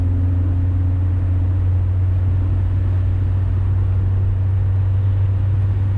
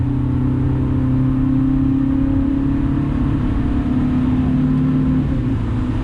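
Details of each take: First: 2000 Honda Civic with header and test pipe after adding a resonator, under medium acceleration: a smooth, deep exhaust drone with no rasp or buzz, as the resonator removed the rasp above 2,800 rpm. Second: 2000 Honda Civic with eBay header, test pipe replacing the catalytic converter, OE piping, resonator and muffler, before added resonator; accelerating normally then hard, coarse raspy buzz above about 2,800 rpm.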